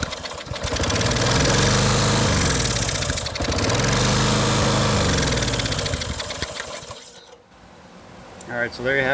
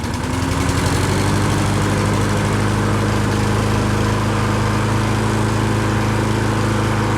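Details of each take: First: Lawn Boy push mower, just running again after a carburettor clean: the engine keeps racing with a harsh rising-and-falling screech after the handle is released, only cutting out when pushed further over; faulty brake/ground assembly. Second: Lawn Boy push mower after a carb clean and a flywheel brake pad replacement: the small single-cylinder engine chugs steadily at an even speed with no screech, hunting or misfire. Runs normally.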